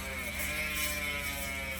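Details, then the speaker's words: Chris King ISO bike rear hub ("Angry Bee"), vertical sawtooth-profile clutch driver, coasting: loud, high, even buzzsaw sound with no grinding or skipping; very little drag; normal. "So it has its typical buzzsaw sounds, a vertical sawtooth profile clutch mechanism, and although it does have a lot of noise, and that noise gets louder as the lube starts to break down inside there, the one thing you'll notice is how little drag there is actually on the driver mechanism."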